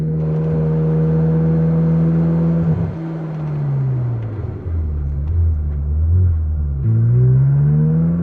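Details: Ferrari with installed track exhaust, on a test drive after all brakes were bled, driving calmly at about 3,000 rpm; deep smooth exhaust drone rising and falling cleanly with light throttle; healthy engine cruising gently.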